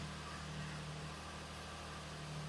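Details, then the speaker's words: 2006 Lexus RX330 3.3L V6 started right after replacing the rear spark plugs with NGK iridium: smooth, steady low hum at idle with no stumble, miss or shake. Running evenly and healthy. "Oh yeah. Oh, she's running great."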